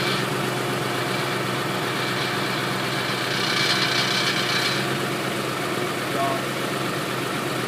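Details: 2007 Ford Expedition petrol engine idling around 1000 rpm with AC on: light, uneven rattle over a steady hum, heard at driver's side front of engine compartment near the tire; disappears when throttle is applied; cause not identified.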